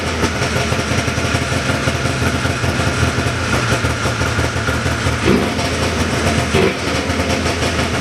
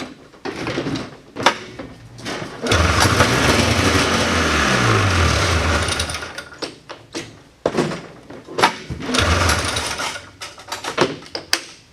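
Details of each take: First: 1979 John Deere Cyclone 340 two-stroke snowmobile after carb cleaning: steady, fast burble holding an even idle, a touch high but smooth with no misses; air box still off. Normal idle. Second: 1979 John Deere Cyclone 340 two-stroke snowmobile, vintage revival, full then half choke: pull-start rasps, engine catches and buzzes briefly then dies; fires only on starting fluid, owner blames dirty carburetor and gunked fuel tank. No fuel delivery to carb.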